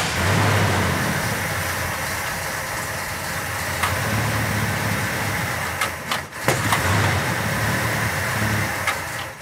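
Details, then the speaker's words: Petty Blue Plymouth Superbird V8, V-code car missing its original six-pack, unrun since the 1970s: rumbles unevenly and surges only while fuel is poured into the carburettor; fuel line found rotted, fuel pump suspected bad, new pump planned. "we don't know if the fuel pump's even any good might not be the fuel line was rotted off of it oh the fuel line was just pudding"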